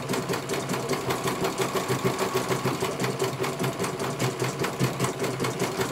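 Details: CNY computer embroidery machine in for service; at first its motor (dinamo) would not turn at all and the bobbin case was missing. Even, quick needle ticking about a hundred a minute over a steady motor hum as it finishes one colour; normal stitching, judged very good.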